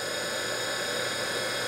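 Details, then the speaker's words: DC motor removed from EV conversion, bench-run on a 12 V battery at about 3,000 rpm, internal cooling fan blowing air: smooth airy rush, steady hiss, no rubbing or ticking; healthy. "so that's what she sounds like it's probably 3,000 RPMs for getting close to it sounds real good I can feel the air come off from over here so they have an internal fan"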